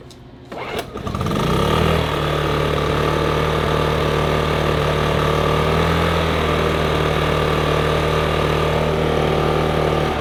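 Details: Briggs & Stratton PowerSmart P2000 generator after a fuel pump replacement, done because it had been running poorly, then sputtered and shut off: after a brief crank it catches and settles into a steady, even hum without surging: normal running.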